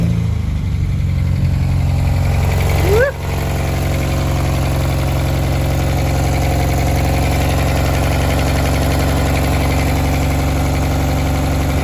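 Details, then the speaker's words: 1994 Honda Accord, first start after replacing all distributor seals; fires and drops straight down to a steady, even idle with no misses or hunting; healthy idle. "Sounds like it idled down instantly."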